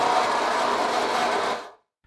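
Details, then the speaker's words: Eufy RoboVac 30C: harsh, rough grinding rattle from a small motor that stops abruptly; one motor not spinning properly, owner suspects a broken gear in the side brush motor, as happened before. "so I think the problem is with one of the motors I think it's probably got a broken gear"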